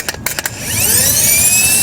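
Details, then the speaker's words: Honda replacement starter bench-tested with power applied by screwdriver before installation: a few contact snaps, then a high whine that settles into a fast, steady spin, strong and good, unlike the weak, clicking, cutting-off old starter. "Now you can see how strong that one is. It's ready to go. So this starter's good."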